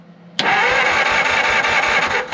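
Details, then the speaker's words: 1950 Ford Shoebox flathead V8, off the road 50 years, compression test cranking: short quick chopping starter burst; cylinder 3 also reads zero, suspected stuck valve or holed piston. "Cylinder 3 is also dead. That is not good."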